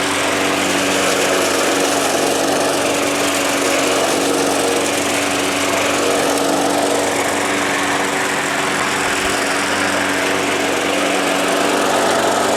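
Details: Small engine that sat all winter, primed about five times: holds a steady, even buzz the whole run with no misses or surges; it sounds healthy.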